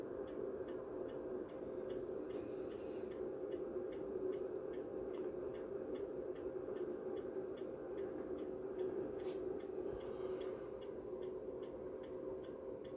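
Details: MW Power MW-SC6B battery charger on a 12V AGM battery in 24V recondition mode: steady fast ticking about two clicks a second over a low hum as the charger pulses too high a voltage and current into the battery.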